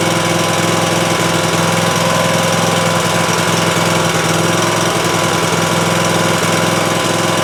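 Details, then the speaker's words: Cub Cadet Ultima ZT2 zero-turn mower after a new fuel pump, outdoors: loud engine with ragged, uneven chuffing about two to three beats a second, no longer smoking; rough running, aftermarket carburetor suspected. "Well, that is way better than it was. It doesn't sound great to me. I don't know if it's maybe that aftermarket carburetor is just not doing a great job, but looks like our fuel flow problem is resolved with the new pump."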